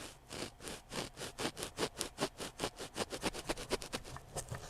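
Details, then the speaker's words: 1999 Toshiba MV13J3 13-inch TV/VCR combo, 8-ohm speaker, microphone clipped at the speaker leads with the cone pushed by hand: gritty scrape two to three times a second; voice coil rubbing, so the speaker needs replacement. "that's why it sounds so crappy let's get the microphone back where it should be but yeah that's why it sounds bad so I need to find another one of these speakers"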